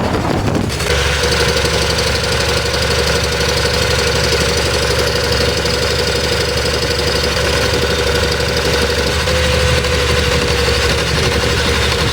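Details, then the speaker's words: 2019 Nissan Terra automatic diesel idling with a lumpy, uneven, knocking beat and shaking, starting but not running on properly; faulty injectors on cylinders 1 and 4 cause the misfire, and water was found in the fuel system. "so yan mga sir ah may problema to sa injector sa dalawang injector ang problema sa number four t saka sa number one"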